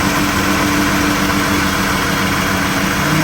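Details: 3.6L V6 Chrysler Town and Country / Dodge Grand Caravan (2011-2020), started after belt and tensioner installed during harmonic balancer repair: steady, smooth idle with faint even hum, no knocks or wobble; normal running after repair.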